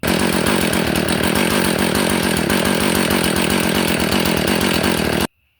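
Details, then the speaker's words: Husqvarna 450 after carburetor replacement: slow, lumpy idle, barely staying alive before shutdown. Idle speed set too low, common on aftermarket carburetors, which raises flooding risk; fix is to raise the idle. "All right, if you could tell, it's idled way too low. And most of the time, even from factory, they're that way, but especially, your aftermarket carburetors, they're just idled too low, which increases the chance of it flooding."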